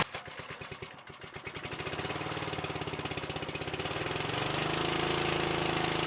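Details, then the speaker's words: Old small engine on power equipment saved from the dump, started on choke at full throttle on the fourth pull: slow separate firing pops quicken into a smooth, even purr; normal running. "Listen to that purr. See how low we can get it to go."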